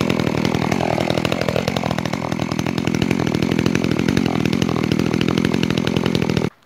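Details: Makita EA3200S chainsaw, first start and running-in: steady high buzzy two-stroke note at even speed, no misses or rattles, then cut off; healthy.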